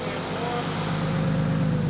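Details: 1995 Nissan 240SX with swapped 2JZ engine, about 500 hp, E85, warming up; low-speed radiator fan switched on gives a steady low whoosh over a smooth, dead-stable idle; fan sounds normal.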